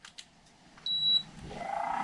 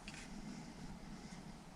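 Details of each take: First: MrCool DIY mini-split indoor unit, originally whisper quiet: a beep, then the fan spins up into a loud, steady whirring drone. Worn blower motor, which was then replaced. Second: MrCool DIY mini-split indoor unit after blower motor replacement, running in heat mode set to 80 degrees: only a soft, steady airflow hum with no rattle, squeal or grinding; normal blower operation.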